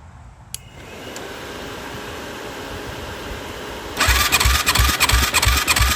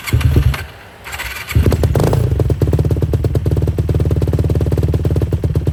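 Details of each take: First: 2007 Yamaha YFZ450 cranking after oil added to cylinder: starter spins freely and fast with weak even pulses about three a second; compression rose slightly then keeps dropping, coolant-wet plug; suspected head gasket and worn rings. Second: 2007 Yamaha YFZ450, carbureted, cold start after sitting a few months: brief crank after pumping the accelerator pump, then the single catches and settles into a steady even idle thump; starts and runs healthy.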